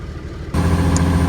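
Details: Cat D6K dozer diesel after replacing an injector that hung open and caused no-start: catches and settles straight into a steady, even low rumble with no miss or stumble; healthy idle.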